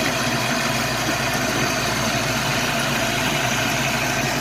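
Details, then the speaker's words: 1989 Mustang LX 5.0 V8 convertible, first start after about three years, following ECU capacitor repair: steady, smooth idle with a low drone and no ticks or knocks. The earlier unidentified noise is gone; normal idle. "first start in three years and it's sitting here idling idling real smooth"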